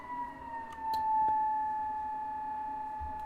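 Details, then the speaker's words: Blower driven by PWM from STM32 at 12 V during testing before a burner test, stepping down from 55% to 25%: steady whine near 1 kHz sagging in pitch as speed drops, with bad bass noise; loud resonant blower whine, cause unknown. "Dying down to 25. It's pretty bad in terms of sound. This sounds even worse than the fucking... This even sounds worse than the previous one."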